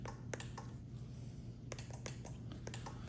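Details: Telecrane F21-E1 style wireless remote, black power, brown ground, orange or red supply line: crisp single clicks in quick bursts over faint low hum as buttons are pressed; relays switching cleanly, normal.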